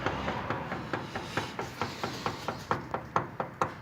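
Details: Steering system: sharp metallic knock repeating a little over twice a second in a quiet cabin; the noise disappears when the tie rod is held, and the owner suspects play in the rack, steering reducer, tie rod end or under the boot.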